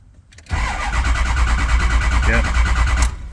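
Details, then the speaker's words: Ford 6.0 Powerstroke diesel, crank-no-start, cranked with FORScan (IPR 14% rising to wide open, crank/cam sync good, ICP psi climbing). About 2.5 seconds of steady, even cranking that never fires or picks up speed. "so we're just going to crank this I know it's not going to roll but I want to make sure that we get the Fick them syn"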